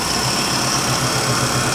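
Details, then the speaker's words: GMN MPS-1 vertical-spindle swing-arm surface grinder, 3,400 rpm spindle, 3/4 HP motor with replaced motor bearing: an even spindle hum with a thin high whine and faint belt flutter. Normal running. "little bit of noise you hear the a of the belt like I said we replaced the bearing motor the spindle sounds great"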